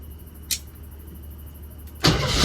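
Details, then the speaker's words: Jeep CJ7 starting after an ignition fault was traced to the blue ignition wire running up the steering column, so the starter solenoid got no power. A click, a pause, then it catches at once and settles into a steady, even idle. "Hell yeah. We have proper ignition power now."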